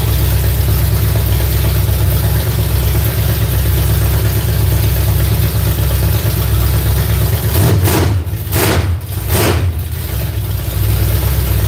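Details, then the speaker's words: Dirt-track car V8 run up after cranking for oil pressure: loud, deep idle with throttle blips that are heavy and slow to pick up, and fire seen from one side. The owner suspects the timing isn't right; the cause is unconfirmed. "Gosh, that's loud. It sounds like that the timing ain't right. Sounds like it's sluggish. It ain't free."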